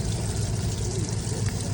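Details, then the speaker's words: Boat engine running for the first time in 21 years on a borrowed HEI distributor, idle not yet great: a loud, even low rumble with a steady beat and water splash, no stumbling. It sounds healthy and runs on all cylinders. "we finally have the boat running and it it runs pretty good actually it sounds healthy sounds good it sounds like it's hitting on all the cylinders"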